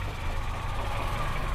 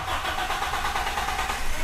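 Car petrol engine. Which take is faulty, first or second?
second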